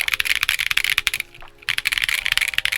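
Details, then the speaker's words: Monsgeek M1 keyboard after force break mod and swapping the stock PC plate for an FR4 plate: crisp, even keystrokes with no lingering ring; the metal ping has gone away. "metal ping has definitely gone away. So let me go ahead and leave you guys with the stock sound test of this one."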